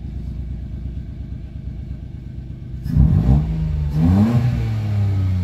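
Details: Mitsubishi Mirage G4 sedan after fixing a crank-no-start caused by a locked throttle body. Steady low idle, then two quick throttle blips; revs climb and fall back cleanly with no stumble or misfire: normal revving.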